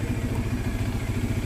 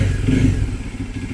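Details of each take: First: Bajaj Dominar 400 at idle and revving: quick regular clattering taps at a couple of beats a second. A loose part shakes and vibrates when revved, causing the vibration sound. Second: Bajaj Dominar 400 after bracing a front panel to cure vibration rattle: even engine beat with low throb settling after a blip, no buzzing or rattling from the panels; fixed.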